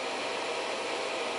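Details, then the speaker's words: Reliable Electric 800W pure sine inverter under load rising to 678 W at 11.7 V, 68.6 A: even, steady airy fan hiss with no pulsing or rattle; normal cooling fan running. "So now, speaking of which, now the fan actually just kicked on. So that will affect the efficiency a little bit, but that's okay."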